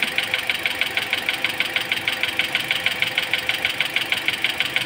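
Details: Toyota Altis at idle after an AC compressor replacement left the cooling system without coolant, with persistent bubbles while bleeding: a sharp, regular tick about three times a second over the engine; the knocking cause is not confirmed.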